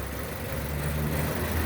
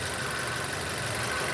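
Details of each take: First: 2006 Nissan Y11 AD QG15 e-throttle at idle, cam phasing commanded by scan tool from 10 degrees advance to 0: low hum drops and settles to a new note as vacuum stabilizes; idle speed change with cam phasing. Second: 2006 Nissan Y11 AD QG15 e-throttle engine idling while the scan tool commands VVT cam phasing to 0 degrees. Steady, even idle with a smooth hum under some hiss, no misses, knocks or hunting. Vacuum stabilizes near 20.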